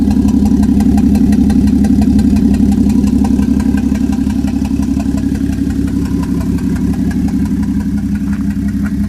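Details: 1JZ swap idling: lumpy, uneven beat with a faint high squeak; owner suspects failing turbo and wonders about misfire or knock; vacuum stuck at 18 inHg, breaks up around 2500–3000 rpm; cause unconfirmed.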